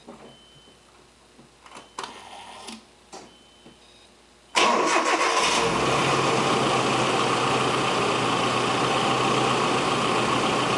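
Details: Nissan KA24E (1989–1997) after timing chain slack check and reassembly for start-up rattle: a few clicks, then catches into a smooth, even idle with no start-up rattle; healthy.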